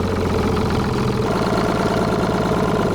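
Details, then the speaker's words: Detroit Diesel 6-71 two-stroke, rerun with full air to it after vise grips on the rack were thought to affect idle: deep even idle, steady low drone, no misses. "These vice grips really changed the weight of that rack, and I believe that's why she went idling, so let's get to it."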